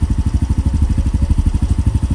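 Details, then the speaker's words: Yamaha Mio M3 scooter at idle during TPS calibration and tune-up, diagnostic reading 1450 rpm, should be about 1600: slow, even low single-cylinder thumps, lazy; idle speed low, to be raised after warming. "Nakita niya mababa siya. 1450, 15. Dapat yan 16 plus minus."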